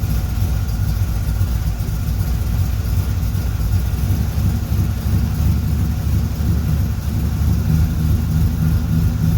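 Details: 1976 Corvette Stingray V8 first run in 8–10 years, fresh filter, after the low idle was raised, warming up, oil pressure good: deep, steady rumble with no misfire or stumble. Healthy, ran pretty well.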